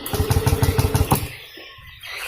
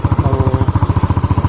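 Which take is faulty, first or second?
first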